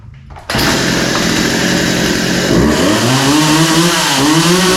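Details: Poulan 2150 chainsaw after the pull rope was reinstalled: right after starting it pulls to a crisp rev that climbs and settles smoothly with no misfire; runs well and needs no carb adjustment.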